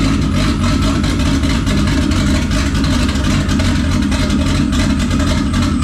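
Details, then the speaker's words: VR6 with methanol injection, first start after rebuild, oil, water and power steering primed: loud uneven idle with lumpy surges and unsteady revs; owner suspects a turbo tune without the turbo hookup and vacuum leaks. "that's enough sounds i mean well yeah it doesn't have any of the turbo stuff so it's tuned for turbo and it's got vacuum leaks you know"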